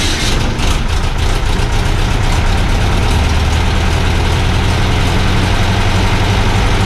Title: VW Type 3 Fastback Engine start after rebuild.